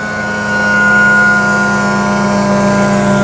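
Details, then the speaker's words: Grand LX valve maintenance trailer vacuum system, RPM raised, inlet closed, air drawn only through about 2-inch vacuum brake: steady loud engine drone with constant high hiss of air bleeding in; vacuum held evenly, running as it should. "You see my pressure gauge is relatively low. It's not all the way down because I'm only drawing air through that vacuum brake. And you can kind of hear that vacuum brake is relatively small."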